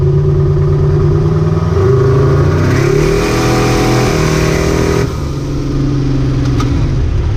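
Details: Ricky's 750 blow-through carburetor on a V8, rejetted with 75 primary and 86 secondary jets and a 6.5 power valve, no pump shot, under test: a steady burble with a clean blip that climbs, holds, then settles to idle; best it has run so far, normal running.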